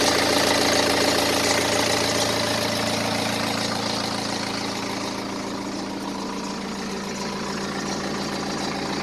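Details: 2010 BMW 118d E87, N47 diesel, 178,000 km, at idle: a fast, even light rattle about four a second over the clatter. Teardown found the timing chains fine, so the source is still unknown.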